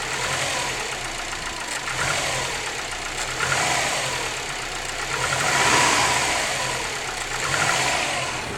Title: Wrx piston slap cold